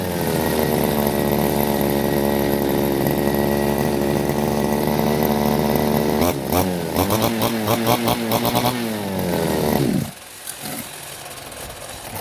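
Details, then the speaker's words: Two-stroke brush cutter, unused for months, running after its clogged carburetor was cleaned and the spark plug checked; steady high idle buzz, a brief rev with rising and falling pitch, then shutoff; runs cleanly. "วันนี้ลองสตาร์ทแล้วครับติดแล้วพี่น้องควันดำปืๆเลยบานี้นะครับเยี่ยม"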